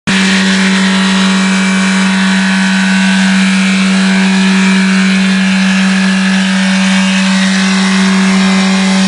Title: Ben wallace golf turbo failure, runaway diesel